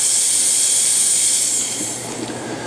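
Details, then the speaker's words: Cremina lever espresso machine after heat cycling, steam wand tube brushed out for a suspected restriction: airy hiss that fades within two seconds instead of holding strong; steam better but still weak, cause not yet found. "still not as good as I'd like to see it, or hear it. So something is going on here."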